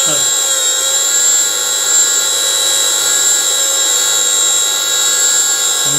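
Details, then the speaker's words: Motorised grinding spindle newly installed on a mini lathe, driver powered with no error codes, speed pot raised up from minimum; steady, even high whine with no surging or dropout: normal running. "run and the way we go that's minimum I'm just turning the speed pot up now"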